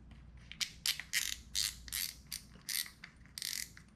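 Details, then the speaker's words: Cabo PTSE 4000 saltwater spinning reel after routine maintenance, spool seated: crisp bursts of rapid, even ratcheting clicks from the spring-and-lever drag clicker, no grinding; drag clicker working normally. "But spin that on, make sure it's seated all the way. Hear the click, clicking."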